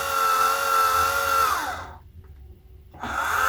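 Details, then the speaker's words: Orion XX14g GoTo Dobsonian telescope on 12 V DC, SynScan hand controller: smooth, steady azimuth motor whine that stops and ramps cleanly back up; motor sounds healthy, but it runs about a second before any movement shows. "There's a lot of lag in that Azimuth motor. Yyou can hear the motor runs for about a second before you see any movement whatsoever,"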